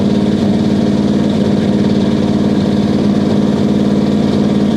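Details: 1969 Buick Special Deluxe 430 big-block with big cam, restarted after opening the fully closed choke on a warm day: steady, even lope with a firm low beat and no misses or knocks; healthy idle, good oil pressure.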